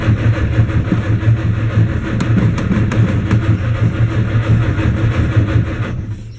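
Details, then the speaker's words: 1959 Mercedes-Benz 180D/190 diesel with new Bosch glow plugs, rebuilt starter and Optima 900 CCA battery, glow plugs preheated: steady starter cranking about two turns per second, never fires; cranks but won't start, cause unknown. "Yeah, still nothing. I'm at a total loss as to what's going on."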